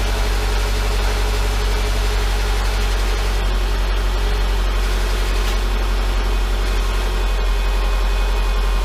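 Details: 2011 Subaru Impreza with an EJ253 non-AVLS block and AVLS heads, first start after a rod-knock repair: a smooth, steady idle with even firing and no knock, with only a slight exhaust shield rattle.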